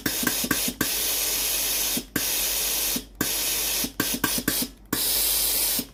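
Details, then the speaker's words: Philips PSG8040 steam generator iron after board repair for not switching on: strong, clean hissing steam bursts on each button press, cutting off sharply between shots; steam output now normal. "Ensuite la vapeur sort normalement."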